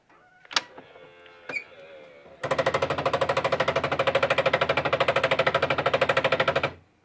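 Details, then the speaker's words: 2006 Alfa See Ya motorhome electric entry step retracting: after quiet clicks, a rapid machine-gun-like clatter runs for about four seconds; owner suspects the gearbox, replaced with a new motor and gearbox assembly. "so I don't want the neighbors wherever I'm camping to think that I'm firing off a machine gun every time I close my door"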